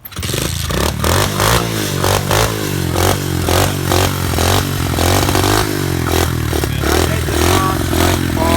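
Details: SSR 125 pit bike after two years of hard use, with new wiring harness and shock, jetted for 9,000 ft altitude, starts first time: crisp single-cylinder note revs up and settles evenly, no misfire or knock; running healthy.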